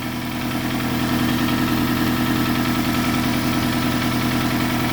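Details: Toyota Camry 5S-FE, first start after new oil pump and rod and main bearings: steady idle with a light, even tapping three to four times a second. Source unknown, possibly an exhaust leak; oil pressure light went out quickly.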